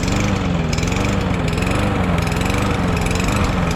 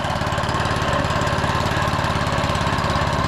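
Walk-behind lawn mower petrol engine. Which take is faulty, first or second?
first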